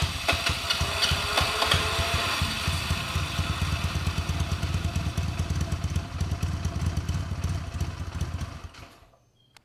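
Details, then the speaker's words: Vintage motorcycle first start on starting fluid, no throttle connected: lumpy but steady idle about three beats a second, running on its own before dying away; sounds good, engine runs fine. "That's running. I don't have any throttle. And it sounds good."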